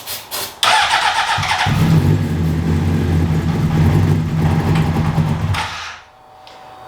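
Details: A 2003 Honda CBR600RR being revived fires and revs roughly for about four seconds, then dies away; it is starving for fuel because the fuel pump relay is failing.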